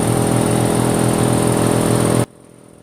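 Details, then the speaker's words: Newly mounted replacement pump on cleaned-out air compressor: steady, even pumping drone with smooth regular beat, no knocks or rattles until shutoff; making pressure, gauge suspected broken. "buddy sounds like it's making pressure oh she's making pressure"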